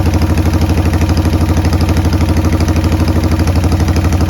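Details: 1990 Harley-Davidson Sportster 883 restoration project, started with no breather fitted: lumpy, loping hunting idle about three pulses a second; runs rough.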